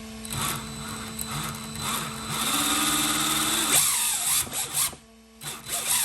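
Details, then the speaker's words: RC drift car after replacing a bad gear and moving the electric motor to the top mount: high electric whine rising and falling with throttle, smooth with no grinding or skipping; motor and gear mesh running clean. "So now that everything hooked up, let's turn it on. Connect it. Let's see if it'll run with the new motor moved on top."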